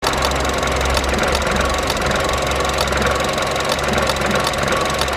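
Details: Vauxhall Adam running badly after trouble on the drive to work: rough, uneven idle with a stumbling beat and a recurring sharp click; owner diagnoses a sick coil pack to be tested and replaced; misfire from failed coil pack.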